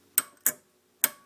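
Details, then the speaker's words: Gravely 424 tractor with a new starter solenoid, fourth post wired to ground: four crisp, sharp clicks in two pairs, no buzz or chatter; the solenoid pulls in cleanly and works. "it works that's awesome okay I guess my new flashy looking solenoid is uh ready to go"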